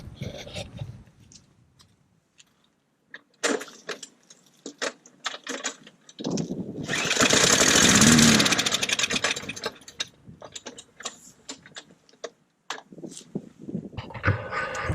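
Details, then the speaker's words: Trash-picked mower that won't start on its own; the fuel in it had flakes and looked bad. With a squirt of starting fluid it coughs, catches briefly and dies. Fuel starvation; the owner suspects it just needs the gas drained and the carburetor cleaned. "Alright, so you see it starts with fluid. So I think it just needs a carb clean. It looked like the gas was pretty bad."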